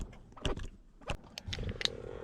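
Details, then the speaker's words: 2017 Mazda CX-5 electronic parking brake after rear pad and rotor replacement, exiting service mode (key on, gas pedal floored, switch pulled): a few clicks then a short motor whir from the rear calipers re-engaging; parking brake light off, normal. "you can hear the parking brake make all that noise again and then we look at our Dash and the parking brake light is off so we should be good to go now"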